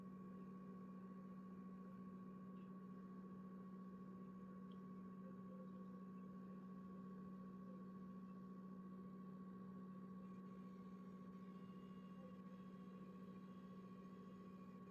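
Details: PS5 console with faceplates properly attached and base secure, on dashboard and in game: thin constant high-pitched coil whine over a quiet steady low buzz; cause suspected, not confirmed.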